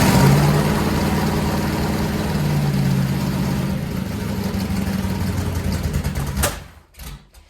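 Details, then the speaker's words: Freshly built 400-to-500 stroker big-block Mopar, first start on a run stand: rough, uneven running, then a sharp pop and the engine dies. Carburetor backfire from retarded ignition timing, timing then advanced clockwise. "so here's a good little teachable moment for us since we had a backfire to the carburetor we know the timing is slow we're going to advance it"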